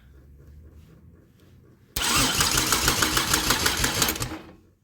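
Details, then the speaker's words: Pontiac Grand Am engine, newly filled with oil, cranked on the starter: even chug about three beats a second for two seconds; great, even compression. "Sounds like it has great compression to me. Hell yeah, super stoked."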